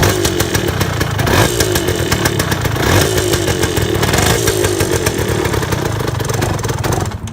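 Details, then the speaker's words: 1978 Yamaha DT175 Enduro two-stroke, first run after reassembly. Crisp, even buzz with steady revving, sounding tighter with the earlier rattle traced to the under guard. Owner still suspects piston slap and a rattly clutch basket. Running normally. "start the thing up again it sounds a lot better it sounds a lot better a lot tighter"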